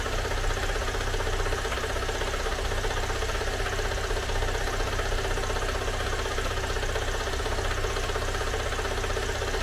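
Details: Great Wall car engine idling right after a teardown repair: a light, fairly quick tapping over the hum, a tractor-like clatter that was absent before the repair. Mechanic says oil was added, so the engine is reopened; the knock's cause is not yet found.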